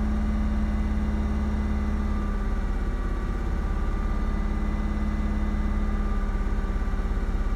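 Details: 2004 Ford Mustang 3.8L V6 automatic at idle after a minute or two: uneven stumbling pulse of about three or four beats a second with pops that shake the car; fuel pressure over 60 psi. Fixed by replacing a faulty-from-new SMP T-Series coil pack.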